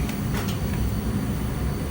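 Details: Goodman furnace after relocation, burning: steady low roar and hum with no banging, rattling or surging; firing and running smoothly.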